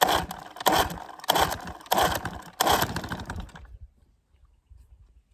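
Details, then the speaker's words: 1966 Evinrude 6 hp Fisherman outboard, scrapyard find once seized, not yet fully sorted: fires in ragged, uneven bursts with sharp spits, about ninety a minute, then cuts out; lean sneeze, cause unknown; plug leads likely dilapidated. "has got a bit of a lean sneeze issue I don't know why the hell it Zapped me that sort of scares me a little bit probably the old pug leads probably a little bit dilapidated in need replacement"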